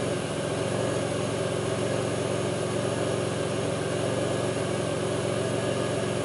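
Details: 2002 Pontiac Grand Prix 3800 V6 at idle, no check-engine light, alternator overheating; faint intermittent thumping pulls the idle down. Uneven idle with a faint irregular thump two to three times a second under the drone: rough idle, cause unclear.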